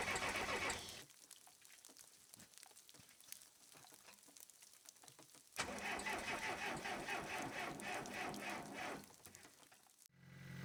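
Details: Case 580CK backhoe with a 188D diesel, started after a thermostat replacement and coolant refill to circulate air. It cranks, catches and holds a steady rattly idle for a few seconds before cutting off, which is a normal start.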